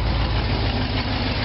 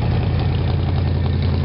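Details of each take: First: 1957 GMC/Wayne bus, cold start after sitting a while, unfinished open exhaust, possibly low on fuel: deep steady loud idle that runs evenly; owner suspects a weak fuel pump. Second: 1957 GMC/Wayne bus with a 1977 Olds 403 V8, cold start at about 30°F after sitting a month, jumper box on a low battery. Fuel pump suspected weak, exhaust unfinished. Steady, even low rumble with a loud open exhaust and no knocks. Healthy idle.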